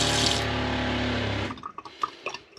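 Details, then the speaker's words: Franklin CX22 caravan diaphragm water pump after repair (pressure switch refitted, system bled), switched on cold: steady buzzing hum about 1.5 s then stops with drips, normal running; unsecured pipework adds some vibration. "the reason is making noise i haven't actually re-secured the pipework to the side which makes it vibrate and make a bit more noise but i should do that now that i know it's fixed"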